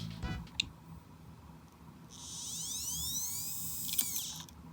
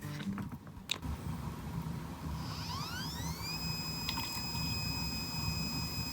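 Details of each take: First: Dead iPod hard drive, powered via FireWire with cover open: thin whine climbs as platter spins up with sharp clicks, then spins down; failed spin-up from damaged head. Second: Working iPod hard drive: a quiet whine rises and settles into a steady high tone with faint soft random seeks and no clicking or grinding. Normal, healthy hard drive operation.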